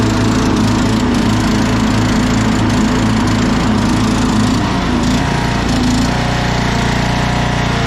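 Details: 2001 Cub Cadet 1170 lawn tractor, electric PTO, run on a jump pack: engine runs with rough uneven clatter and drone, wants choke, idle may need adjusting; transmission blown though it still drives.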